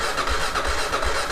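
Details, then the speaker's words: 2001 Kawasaki KLR650 single that sat for about 4 years, cranked in neutral on a new battery: the starter turns it over steadily with an even rise and fall on each compression stroke, so it sounds like it has good compression. "Sounds like it's got compression."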